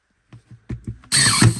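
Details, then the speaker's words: Parkside 20V cordless nailer/stapler on the 2Ah battery driving a 32mm nail: a few light taps, then a short whirring drive with a thump that lacks snap; sluggish, noticeably less power than on the 4Ah battery. "Oh, you can tell the difference. It's very sluggish. You can feel the difference in the power."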